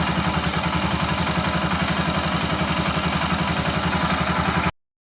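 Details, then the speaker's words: Royal Enfield Himalayan single at idle with quick, steady light ticking, close to four a second, over the engine's beat: rocker noise from loose rockers with too much valve clearance, which is then adjusted at the tappet covers. "तो इसका रकर का sound निकल आया है तो रकर का sound कैसे adjust करते है वो आप लोगों को मैं दिखाता हूं"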